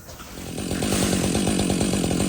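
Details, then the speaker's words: Husqvarna 562 XP G chainsaw, aging, warmed up idling at camp: steady even firing with a slight growl from the crankcase; owner suspected crank bearings and took it to the saw shop. "can listen to it listen to it sitting there right and you can hear a slight you can hear a slight growl in the crankcase almost like a luring noise"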